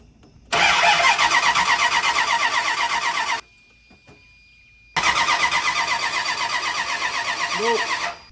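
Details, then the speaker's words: Truck with misfires, after new plug wires, distributor cap and rotor and correcting plug wire order: fast even cranking, brief pause, then it catches and holds a steady even beat; starts cleanly. "We finally got it to fire up. It is right. It is correct."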